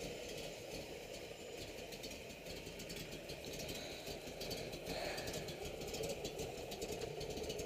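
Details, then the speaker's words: 1969 Camaro Z28 V8 with a cam, at steady lumpy idle, with a light tinny rattle on top from a loose exhaust section. "hear the exhaust rattling a little bit where it's loose has a nice cam in it sounds really good right there"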